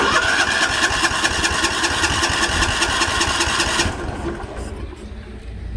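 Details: 1960s/1970s Sears 10/6 lawn tractor, first start attempt; steady rhythmic starter churn for about four seconds, engine turning over but never firing, then winding down. A spark plug wire was later found not fully plugged in.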